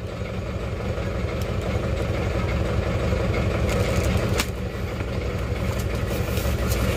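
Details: Isuzu Panther Touring diesel that was overhauled a year ago and now has blow-by again. Rough, uneven idle with a heavy low chuffing pulse.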